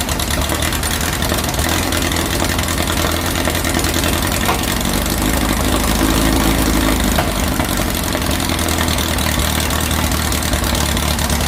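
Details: 2332cc "Dust Buggy" bug whose carbs were cleaned and mixture screws set after a rough, missing first start; spilled filter oil was smoking. Even, steady air-cooled idle with a constant beat and no misfires or stumbles: normal idle.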